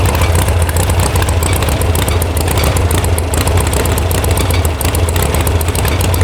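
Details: VW air-cooled sand rail buggy (about 1966) after electronic ignition install and firing order correction: deep, slightly unsteady bobbling idle, a rough idle because the carb mixture screws were backed way out.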